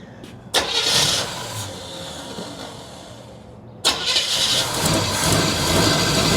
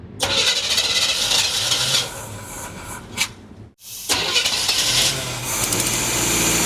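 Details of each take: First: 1976 Chevy long-bed half-ton, parked for years with a bad water pump, first start after carb priming: long crank, a stumble, then it fires and settles into a steady, even run with no knocking and good oil pressure. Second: 1976 Chevy half-ton after a new fuel pump was fitted: starter cranks in repeated bursts but never catches; it runs only on poured-in gas, so they suspect a plugged carb inlet filter or stuck floats.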